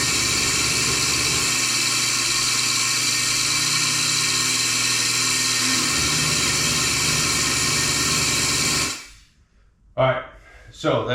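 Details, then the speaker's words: Melasty milking machine vacuum pump after cleaning the carbon vanes and retightening the faceplate, muffler not yet removed: steady high hiss and even hum, sounds better and gains pressure on the black tube. Exhaust muffler suspected to be clogged. "still it sounds better and when I squeezed the black tube it definitely was gaining pressure but that's not that's not the end of this story"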